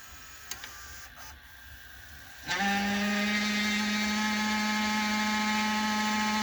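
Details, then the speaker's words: Emerson VCR765 VCR (Orion-made, circa 1990) fast-forwarding a tape: steady buzzing whine holding one pitch, a scraping mechanical drive noise; owner thinks it is not the tape but something inside, mechanism feels stiff; cause unconfirmed. "let's investigate that scraping sound"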